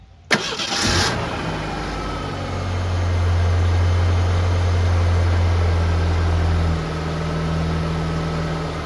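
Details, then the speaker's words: 1989 Ford Ranger, first start after replacing a leaking power steering pressure hose: a short crank catches quickly, then settles into a smooth, even idle with no knocks or squeals; a healthy start. "And let's fire it up and see what happens."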